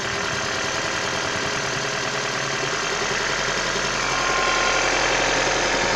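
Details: 1996 Toyota Caldina ET196 with the 5E-FE engine, a year after overhaul with new crankshaft and bearings. Sharp, even knocking about four per second over the idle; internal engine knock of unclear origin.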